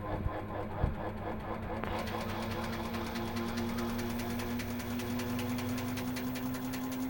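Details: Samsung washer drum spinning up: a rising hum with rapid rhythmic scraping ticks that quicken with speed, from the motor rotor grinding.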